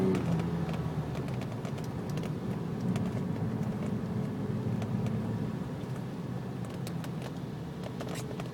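Engine runs with an uneven, stumbling beat and irregular ticks breaking the rhythm, typical of a misfire; cause not evident.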